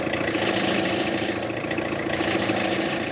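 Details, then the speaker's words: Tata Indica with engine idling and steering turned side to side: a steady mid-pitched power steering whine rides over the engine, constant through the clip; the cause is being checked. "दोस्तों कितना ज्यादा आवाज कर रहा है यानी हमारी जो कार का स्टेयरिंग है यह बहुत आवाज कर रहा है"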